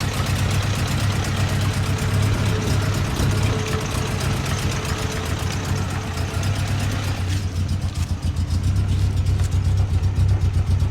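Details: Toyota 22R four-cylinder petrol engine idling rough with an uneven, lumpy low beat that never settles; ignition timing, distributor and spark plugs are being adjusted or checked.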